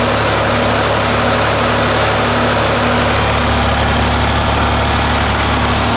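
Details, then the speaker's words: 931 (930 series, 8-speed) six-cylinder diesel tractor idling after oil change to 15W40 diesel oil: smooth, regular beat with no knocks or misses; quieter running, owner suspects from thicker oil, with oil pressure down about 5 psi. "So hopefully, shoot, that's probably something that's contributing to how much quieter it's running."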